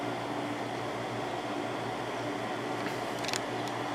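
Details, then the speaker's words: Windmill 6,000 BTU window air conditioner just started in window, cool mode set to 60, low fan, room very hot, compressor not yet under full load; soft steady fan hum and low motor drone, no rattles; quiet, normal. "So that'll start increasing. But yeah, it seems pretty quiet."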